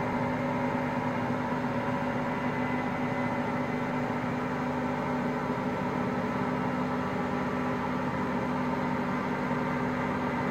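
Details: Hotpoint Aqualtis washing machine: low, steady drone with a constant hum and no knocking or clatter; drum bearings just started failing that day.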